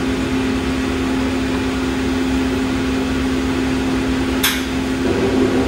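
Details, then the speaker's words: Diedrich C45 coffee roaster, about 427 hours: after Start Gas the afterburner and roaster gas light. Steady blower hum, then a sharp click and soft whoosh as the burner settles. Normal, clean gas burner ignition. "It will start the afterburner gas, and in a few seconds you'll hear this gas click on, the roaster gas click on."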